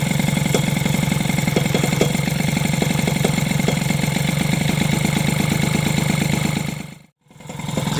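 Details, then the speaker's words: Two-stroke moped engine (SPX/RCX) after swapping the engine-mount spacer for a homemade polyurethane bushing, a modification later judged not to work: steady idle with a rhythmic knock about three per second, something touching, owner suspects the cylinder head rubbing. "il y a un truc qui touche mais je sais pas ce que c'est c'est pas c'est pas top top quoi par contre il y a vraiment un truc qui touche"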